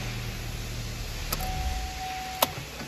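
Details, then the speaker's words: Chevrolet Onix/Prisma/Cobalt/Spin after ignition lock cylinder repair: two crisp lock clicks about a second apart over a low cabin rumble as the car starts; the central locking cycles normally, so the module works. "rebateu as travas só vai dar quando o carro Ligar ó ligou se atenta a isso só viu rebateu as travas Então quer dizer que o computador ali tá 100% funcionando isso aí valeu"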